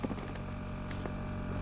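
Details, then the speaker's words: 2005 GMC Envoy with engine running after crank (about 14 V): the rear air-suspension compressor switches on with a steady, even low motor hum at constant pitch, no rattle or strain; normal operation. "Now there's this air compressor for the rear shocks that turns on."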